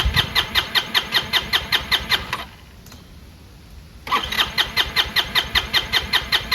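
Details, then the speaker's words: Chinese GY6 150cc scooter with air box issues: steady starter cranking, a pause, more cranking with no catch; won't start or stay running without starting fluid, owner suspects air-fuel mixture. "So I got it to start with some starting fluid. I've been messing with the fuel mixture. I just can't get it to stay running, and it bogs down when you accelerate."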